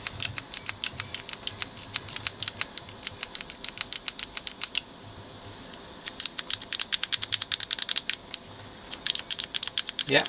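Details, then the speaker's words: 1977 Bang & Olufsen Beocord tape deck switch after cleaning and lubrication; crisp even clicks with no squeak or drag; earlier squeaking gone, normal switch operation. "that sounds better no squeaking there"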